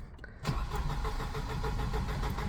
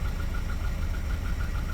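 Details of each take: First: 1988 Volvo 240 with LH2.4 fuel injection during rebuild: brief cranking, then fires and runs unevenly with lumpy pulses, only just catching and dying; owner suspects cold start injector dumping too much fuel. Hard start. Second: 1988 Volvo 240 after rebuild, warming up toward operating temperature: low, even rumble at about 700–800 rpm with no knocks or misses; smooth, healthy warm idle despite known piston slap.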